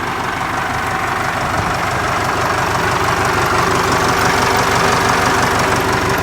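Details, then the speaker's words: Ford 4040 industrial diesel tractor, cold start after rebuilt injectors installed, valves lashed cold, glow plugs run first: crisp, regular diesel clatter at steady idle, no misfire or stumble, little smoke; sounds pretty good, healthy even idle. "it's gotta should have all the air outlines and everything now i've ran it some so we'll give it a shot here yeah it sounds pretty good now"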